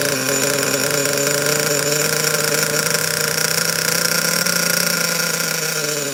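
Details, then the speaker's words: Secondhand Savage 25 nitro RC truck first started after purchase, steering not hooked up; steady high-pitched buzz holding an even idle without stumbling or dying, normal running. "Yeah, there we go. She's a runner. This thing is going to be good."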